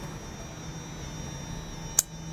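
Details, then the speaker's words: Toyota RAV4 with codes P2770/P0776, engine off, shift solenoid energized via scan tool actuation test: one small sharp tick over faint electrical hum, solenoid clicking normally and working. "This ticking sound will come from here, that is. That Solnet is working for us"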